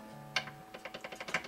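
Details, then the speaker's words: Guitar with a single high fret, checked with a straightedge rocked between every string, strings on: quick light clicking about ten taps a second, plenty of rattle across the fret, less at one end; causes single-fret buzz. "and you can hear it's got plenty of rattle in it all the way across the Fret it's not as bad on this end down here"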